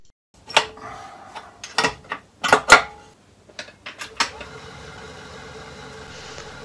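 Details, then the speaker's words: Partially restored Myford ML7 lathe with rotary switch removed, on/off switch only, tested at highest spindle speed: steady, even hum after handling clatter, smooth and quiet with no discernible vibration or knocking. "I would claim that this runs smooth and quiet and know what discernible vibration"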